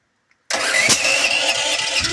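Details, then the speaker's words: Duromax generator running on propane, intermittently hard to start. It cranks, catches with a sharp pop and runs roughly; backfires strong enough to blow the air filter lid off. Owner notes the solenoid sometimes sticks; cause unconfirmed. "Not serious backfires. That's a pretty bad backfire. Solenoid just gets stuck like that sometimes."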